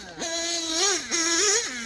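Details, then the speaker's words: OPS Speedster Power .21 nitro buggy engine being leaned for max power: high buzzing revs rise and fall with the throttle, rough and uneven at the bottom end but singing at the top, not lean bogging; rough low-rpm running. "you can hear that bottom acting like a prick but the top is good and it's not lean bogging it's it's [Music] singing"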